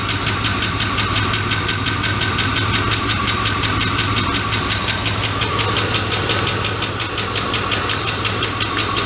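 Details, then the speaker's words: GMT400 truck after long cranking on stale gasoline and a new fuel filter: fast tick about three per second over a rough, missing engine. Oil clean, pressure okay, aftermarket valve springs; later found #3 intake worn cam lobe/lifter. "i think i blow up my engine that's awesome all right now i gotta buy an engine now the lifter dude this is a lifter noise"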